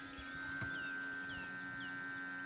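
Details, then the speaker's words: ZMZ 405 engine that stalls, sputters and pops, with revs rising and dropping; engine off, ignition on. A steady low hum with a thin high whine over it. Owner bought a connector to replace; source unconfirmed. "всё Опять [музыка] загудела в общем купил я эту фишку буду менять"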